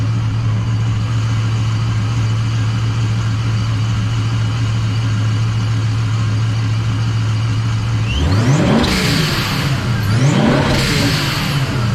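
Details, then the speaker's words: Supercharged "Trackhawk Killer" build with reworked top end and loud aftermarket exhaust, warmed up in the shop: steady deep idle, then two quick blips to about 3,000 rpm rising and falling cleanly; loud, throaty, no misses, running right. "Tell me that doesn't sound good. Like, come on. That was only to about 3,000 RPM as well. So, I mean, imagine how loud this sucker is when we're hitting 6,000 RPM out on a load, ripping down the road."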